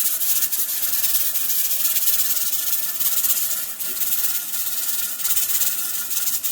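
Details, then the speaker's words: Pressure canner processing tomatoes on a gas stove: steady steam hiss with rhythmic jiggle pulses as the weight rocks; normal operation, pressure holding. "So the rocking action is exactly what it's doing at the moment. I call it its little jiggly dance."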